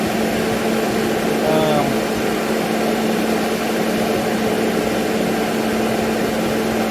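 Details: Master kerosene torpedo heater after rewiring with separate fan and fuel pump/solenoid switches to chase E1 shutdown code; constant roaring burn with steady fan hum, no sputter, kept running though solenoid didn't cut off; normal running.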